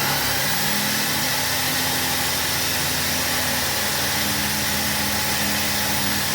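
Steady, even whir with a bright hissy edge and no rattle or grinding; the rebuilt alternator spins smoothly on the bench.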